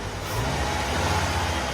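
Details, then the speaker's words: 1970 Ford F100 straight six after the MAP sensor was added: a low, even rumble that picks up smoothly on a light throttle blip without stumbling. Idle is much better; throttle response is neither crisp nor sloppy. "Throttle response is probably what it should be for a straight 6. I wouldn't call it crisp, but I also wouldn't call it sloppy."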